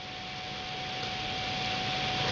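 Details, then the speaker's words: Arctic Cooling Accelero Twin Turbo dual-fan cooler on an HD4870 graphics card at 50% fan speed (its minimum), card around 60°C: constant loud airy rush with a steady mid-pitched tone from the fans. "this one has the Dual fans on it which is nice except for this one problem it's loud it's very very loud"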